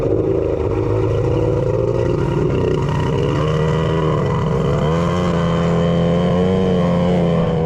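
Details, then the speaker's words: 1100 triple jet ski with custom cylinder head domes, spark plug just swapped: steady low drone with uneven lumpy beat, one cylinder dropping out; a rag left jammed in the PTO carburetor probably caused running on two. "the PTO rag still jammed in there so it's now sitting over there on the log well it would eventually suck it through right yeah but it kind of kind of probably is why it was only running on two"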